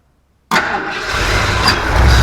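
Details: 1977 Ford F250 4x4 barn find, first test run on old carburetor: starter whirs, engine catches with ragged uneven roar that never settles to idle; weak battery suspected, possibly timing. Fires briefly but won't run.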